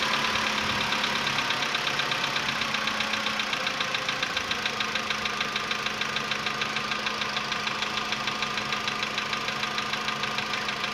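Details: VW Polo Sedan CFNA engine, 105,000 km, cold start at 20 °C after sitting about 15 hours, before decarbonizing: steady light ticking about three knocks a second over cold idle, fading as it warms; cold-start piston knock.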